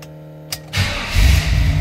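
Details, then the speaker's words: 1939 Plymouth two-door street rod, fuel pump switched on; brief quiet then catches almost instantly into a strong even low rumble; normal easy start. "starts the car. See how easily it starts?"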